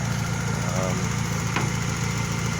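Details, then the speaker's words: 1997 Honda that died while driving and wouldn't restart, after radiator top-up: even steady low rumble without misses, knocks or hunting; idling smoothly. "topped up the radiator she's idling perfect we're gonna take it for a test drive"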